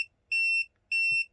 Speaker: okay so this is a real thing this is um this happens um first thing in the morning and at night when the when it's not quite light and it's getting dark here it goes again